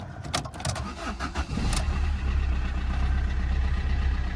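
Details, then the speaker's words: Fiat Panda 4x4 with 44,000 miles, auction report flagged engine noise: short crank, catches straight away and settles into a steady even idle with no knocks or ticks; sounds healthy. "straight away, that sounds absolutely fine. That sounds good. That sounds fine."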